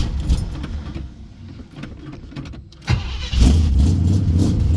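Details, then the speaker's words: Newly restored 1978 Chevrolet Camaro V8, cold start: it cranks and catches, then settles to a steady, even low rumble at idle on its own with no misses or knocks, before warming up. Normal idle. "It's idling on her own now. I'm going to let this thing warm up and then I'll pull off."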